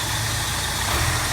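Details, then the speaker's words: 1989 Plymouth Acclaim, 2.5 L four-cylinder, 3-speed automatic, checked as a used car: smooth, quiet idle with an even hum, no knocks, ticks or belt squeal; healthy, though the AC belt is floppy. "And this motor actually sounds pretty much exactly the way it should. No major, no knocks, no ticks, no belt squealing or anything else like that. It's running nice and smooth, nice and quiet."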